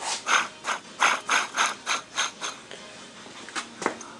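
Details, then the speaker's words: Sipp drill press headstock idler roller, hand-spun off the machine, gives dry rasping bursts about three a second from a rough, worn bearing; the matching tensioner roller has the same sick sound and both bearings are being removed. "this is uh it's like an idler roller and uh that sounded bad"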